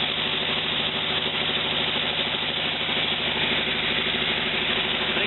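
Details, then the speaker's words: 1949 Willys with a replacement used engine just started, running on a low-volume electric fuel pump; even, steady idle with a regular low pulse, no knocks or misses; valves previously rusted shut now seem to hold, spark plugs very old. "sounds like it's running pretty good just a couple weeks ago this had some valves rusted shut in the up position I think they sound to me like they're holding okay"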